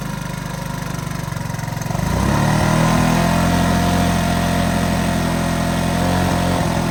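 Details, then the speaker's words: 1983 Honda ATC 185s single-cylinder ATV, aftermarket carburetor, after a carburetor screw was turned well out; it had kept running out of gas. Picks up after about two seconds, then holds a fast, slightly unsteady idle; may still be a touch lean, owner thinks it needs a little more adjustment. "yeah I think it needs to be adjusted out just a little bit more but I think for the most part we' got it"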